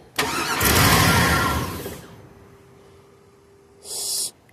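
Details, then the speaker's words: 2002 Cadillac Escalade EXT with a new starter, starter jumped from the battery with the key on. Catches for barely a second, then dies and goes quiet. Starts then immediately stalls; owner suspects a ground issue, having found a broken ground strap. "so it starts up and just immediately shuts back down"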